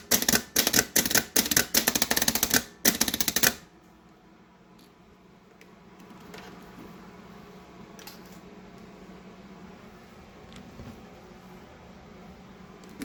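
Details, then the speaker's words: Starter for 1928 Ford Model A rat rod, bench-powered: about three seconds of rapid sharp clicking bursts, then quiet with no cranking; solenoid chatters, not pulling the magnetic arm back or engaging. "so when you power it it should pull the magnetic arm back out here and instead what I was Finding with it is that wasn't happening um in fact it just kept uh trying to trip the"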